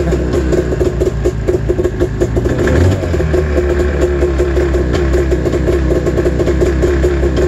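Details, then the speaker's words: Snowmobile cold-started at 28°F early on an October morning. Uneven, lumpy two-stroke idle with a choppy beat and a brief rev, sounding like it fires on one cylinder before lightening up. Owner suspects the gas. "train so sounds like it's running on one cylinder oh you can hear it a little bit it's starting to lighten up"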